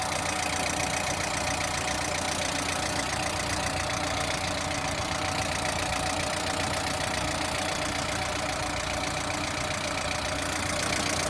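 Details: Lada Priora engine at steady idle with a regular light tapping, about four per second, over the engine hum. Engine knock, source undetermined.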